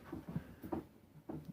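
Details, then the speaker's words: Used ATV, handlebars shaken to check steering play: three dull clunks about every half second; something failing in the steering with about 1/4 inch play, likely a worn tie rod end. "You can hear a little bit of a clunk. There's something failing on the steering, but it's not too terrible. There's only about a 1/4 inch play."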